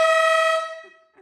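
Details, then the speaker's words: Monster truck's newly fitted dual-tone air horn on its first test, after the small original horn broke when dropped: one short blast where a very high and a very low note clash and sound thin rather than full. The horns are badly matched. "It doesn't sound as good, does it? Because no. One's really high, one's really low. You kind of cancel each other out."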